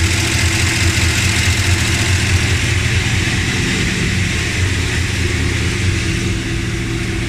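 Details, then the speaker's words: Dodge Ramcharger at idle in winter, before replacing pushrods, rockers and rocker shaft: low rumble with a fast, light ticking steady with engine speed; valvetrain tick from worn pushrods and rockers. "I've ordered some stuff pushrods rockers rocker shaft and trying to get rid of this this tick in the motor and I'm gonna start it up for the last time before this change to compare the sounds before and after"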